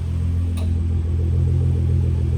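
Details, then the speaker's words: Freshly rebuilt Nissan R35 GT-R VR38 engine at warm idle, up to temp, smoke gone, good oil pressure, ready for break-in: deep, steady, even low rumble, no ticks or knocks; normal warm idle. "All the smoke's gone. Oil pressure is good. Ready for a break in."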